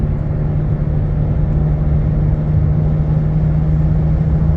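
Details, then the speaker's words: Car cruising at 60 on the highway with a low, steady humming drone under the road noise, starting after about 35 miles; first thought to be a dragging brake, now believed a bad wheel bearing. "I thought that this is a brake dragging, but looks like the bearing. It does start after 35 miles."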